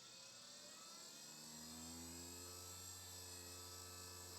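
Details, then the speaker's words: Old hard drive powered up on Bluesky SCSI initiator after bent pins straightened: rising spin-up whine with rough, uneven high-pitched chatter; drive sounds horrible and is not detected. Cause unconfirmed. "That drive sounds horrible. Let's try turning it sideways. Might work better upside down."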